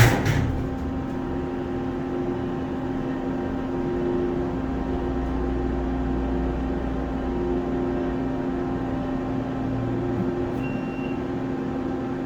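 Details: Otis Series 1 hydraulic elevator serving floors P and 1 at the MGM Grand underground mall, Las Vegas, recorded during a run: a steady low motor hum and an even pump drone with no knocks or squeals. Normal pump run.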